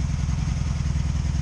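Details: 2002 Honda Magna VF750C V4 during misfire troubleshooting, after checking plugs and gapping them to spec: uneven, loping low idle with popping on one side. One cylinder isn't firing.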